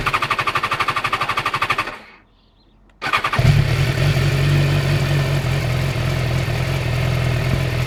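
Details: BMW S1000XR no-start: fast machine-gun clatter of about a dozen beats a second while cranking, then a brief pause; the bike won't fire.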